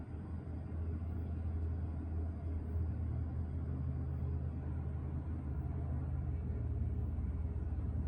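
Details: 2021 Kenworth T680 diesel truck idling right after an oil pan replacement and oil refill: steady, even low rumble with no knocks, ticks or rattles; normal idle.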